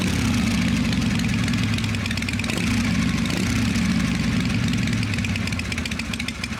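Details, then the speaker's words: V-twin "little 81" at a steady, even idle, a touch low and lazy, after a clean-up and tune-up, no ticking or rattle; owner says smooth and quiet: normal idle. "Sounds really good. Yeah, the smooth silk. Just shift smooth. Roll smooth. Quiet. That's what you want."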